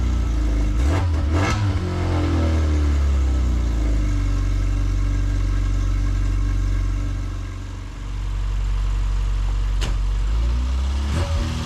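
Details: Classic Mini Cooper S Sport 5, first start in about eight months after pre-cranking without the coil for oil pressure: catches, rises cleanly through a couple of revs, then settles to an even idle; normal idle and revving.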